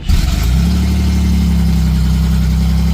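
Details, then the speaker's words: Pontiac Firebird after exhaust leak fix with O2 sensor bung kit, battery charged an hour: starts quickly and settles into a steady, even low rumble, no stumble or check engine light; normal start and idle. "So I just buttoned up the Firebird, took it for a drive, spun it around the block, let it warm up, let it eat. You can probably hear it idling in the background."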